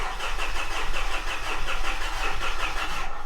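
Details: 2013 Mitsubishi Fuso FG, 4P10 diesel, after clearing codes with creep-mode code SPN 1254 FMI 31 still active; starter spins quick and even about three seconds but never fires. Owner's fuel-problem suspicion leads to swapping in a spare electric fuel pump next.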